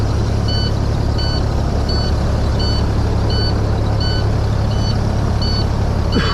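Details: Truck with Detroit diesel at loud steady idle, check engine and stop engine lights on, DEF gauge broken: twin-pitched cab warning beeps about every 0.7 seconds; mechanic suspects the DEF sensor inside the DEF tank. Warning beep.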